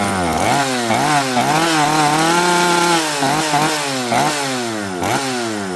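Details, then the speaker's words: Chainsaw with metering lever set too high: revs surge and sag and won't throttle up cleanly, spitting fuel from the muffler joint with the air horn clogged with fuel; running rich and bogging. "Um, this saw won't throttle up cleanly. It is absolutely Look, look at the muffler. It's spitting fuel out of the muffler in between where the muffler attaches."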